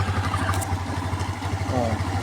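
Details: Skydrive 125 scooter that suddenly died and would not start (no spark from old plug; a mechanic had blamed a valve), now idling after spark plug replacement with a known-good plug: quick, regular single-cylinder putter, even beat without stumbling; spark plug was the only problem.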